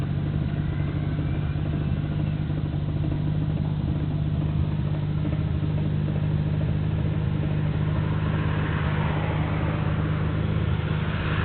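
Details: Nissan Skyline GT-R BNR34, stock Getrag manual gearbox with Nismo clutch, recorded windows open: rough, clattery rumble under the exhaust at idle. It is abnormally louder than before and lags after pressing the clutch. Unchanged after gearbox oil change; cause unknown, overhaul considered.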